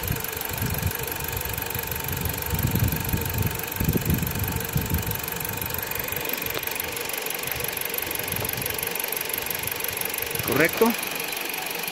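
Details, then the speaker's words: Dodge Journey 2.4 with a replacement used engine, warm at operating temperature: a smooth, even idle with no stumbles. The fault was a defective new Duralast sensor; a used original sensor fixed it, and there are zero codes. "está bueno pues ya trabajó un buen rato no hay problemas problema era el sensor de de escape"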